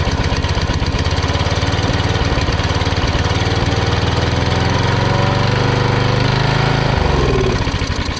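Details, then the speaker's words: Briggs and Stratton single-cylinder engine on Cheetah ride-on mower being revived, oil low: chugs at a lumpy, uneven beat and sags near the end; running rough, owner suspects a carburettor problem. "Sounds like we've got a carby problem."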